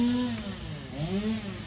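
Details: 2007 Jeep Commander with the engine running: loud, wavering whine rising and falling slightly over a low rumble; owner believes the alternator is failing and needs replacement, not confirmed.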